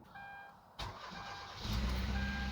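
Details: 2013 Kia Rio at about 20°F after replacing a fuel pump relay with broken pins that cut fuel pump power: short crank, clean catch, steady idle with no stumble; normal start.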